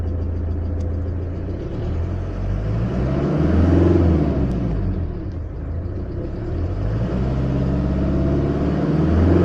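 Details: OM601 2.3 diesel with a steady knock under the clatter, about three to four a second, that tracks engine speed; an engine knock, source undetermined.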